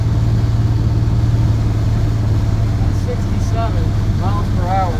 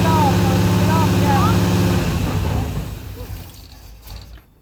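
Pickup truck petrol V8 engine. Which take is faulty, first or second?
second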